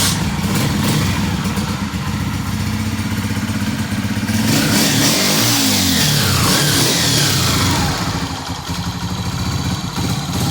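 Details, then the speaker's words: Honda CG 125 after replacing faulty tappet rods (not cam or piston as another mechanic claimed): even single-cylinder beat that revs cleanly and settles, no ticking or clatter; noise fixed. "आपने कहा केम के काम होगा, पिस्टन का काम होगा, ये डले आपके नए। आवाज़ सुन रहे माशाल्लाह। ओके होगी माशाल्लाह।"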